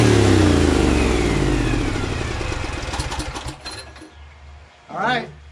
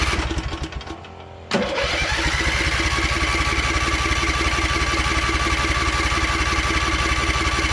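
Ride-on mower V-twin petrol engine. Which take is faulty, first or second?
first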